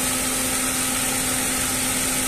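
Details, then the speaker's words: Dodge Attitude / Mitsubishi Mirage, collision-repaired, fan previously not switching on: radiator fan's first speed kicks in near 96–97 °C coolant temperature with a steady even whoosh and hum, no rubbing. "todavía no todavía no prende la 96 vamos miren ahí ya está he aprendido el ventilador"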